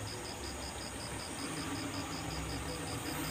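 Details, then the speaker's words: Daihatsu Espass that was misfiring and lacking power, after replacing the distributor cap and adjusting the distributor for smoothest idle: quiet, fairly even idle with soft steady hum, no stumble; normal idle. "kita baru kita geser sedikit-sedikit aja karena ini kita cari suara yang paling langsam paling paling enak paling rak pokoknya paling enak Loh"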